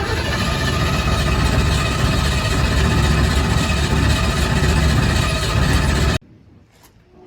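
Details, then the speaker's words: 1965 Ford Fairlane with new gas tank, flushed fuel system, temporary wiring: starter churns about four pulses a second for six seconds, never catching; cranks but won't start, owner suspects the fuel pump. "so we've been cranking on it and cranking on it and i think we're going to need to pull the fuel pump and make sure that's working"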